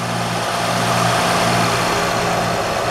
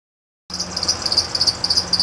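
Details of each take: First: 2007 Honda Odyssey after replacing the serpentine belt tensioner assembly (bad pulley) and the bad crank pulley/harmonic balancer. It now has a smooth, even idle with no chirp; the earlier belt chirp is gone. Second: 2007 Honda Odyssey at idle: a sharp, high chirp repeats about seven times a second; owner first suspected idler, tensioner or power steering; found a bad tensioner pulley and a bad crank pulley (harmonic balancer), both replaced.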